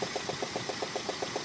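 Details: Peugeot 106 GTI with its head redone three months earlier; sharp, even knock about seven per second over a smooth idle, caused by a 4-month-old (5000 km) spark plug that failed.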